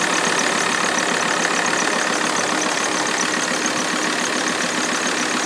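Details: Alfa Romeo 159 idling just after a cold start: faint high squeak over the steady beat, lasting about a minute then disappearing.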